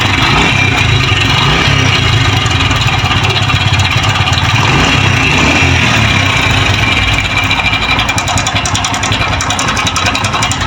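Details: 2023 Honda CD 70 with 6000 on the meter: loud, busy idle with constant metallic rattle and clatter over the single-cylinder beat, from a worn, slack timing chain, before replacing the timing chain set.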